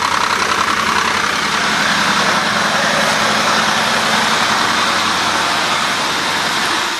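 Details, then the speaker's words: 2001 Buick LeSabre with misfire, loss of power under load and general misfire code, idling on a lift, recorded underneath: loose, hissy metallic rattle, fast and continuous; broken catalytic converter internals rattling, not a heat shield. "you can hear it pretty clear and that's not an exhaust Shield or anything that's the cat itself rattling right"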